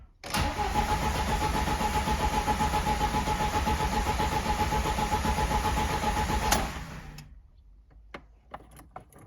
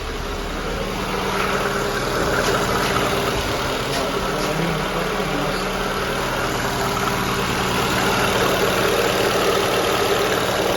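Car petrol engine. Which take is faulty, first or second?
first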